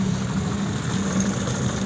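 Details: Honda CD 70, 2023 model, after a head rebuild to cure tappet noise: a steady, even low putter with no ticking or knocking. Normal, healthy idle after the repair.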